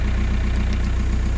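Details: VW Golf IV GTI TDI 150hp, ARL diesel engine: first start right after the oil change and new filter, fuel pump primed several times first; steady, even low diesel chug settles with no knocks or rattles, a normal healthy idle.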